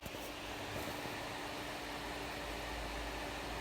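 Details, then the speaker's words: MSI GTX 970 Twin Frozr graphics card fitted with replacement repainted fans; one fan spins faster than the other, a steady airy whoosh with a faint hum. Its extra control lead was left unplugged, so it runs at full speed. "looks like one blade is actually spinning but that's faster than the other yes it's very odd I've never seen that"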